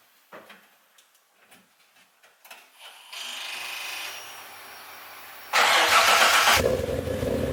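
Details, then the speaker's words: Nissan R33 Skyline starting after a wiring fix: quiet clicks, a brief crank, then it catches cleanly into a steady idle without its usual clutch squeak; a normal start. "and it didn't even make that bloody squeaky noise no do you know that that squeaky noise yeah the clutch yeah it doesn't even make that noise normally"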